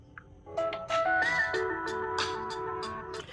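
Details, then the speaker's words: Samsung Galaxy M31s after hot-air resoldering the damaged connector: clear music with plucked guitar plays cleanly from the speaker, no crackle or dropouts; speaker problem fixed. "तो दोस्तों, speaker की समस्या उस connector से हल हो गई।"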